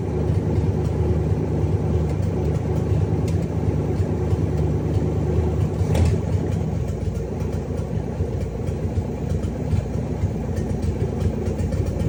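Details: Cadillac 500 V8 started after rebuild: deep, even burble at steady idle with no ticking, knocking or stumbling; healthy running engine.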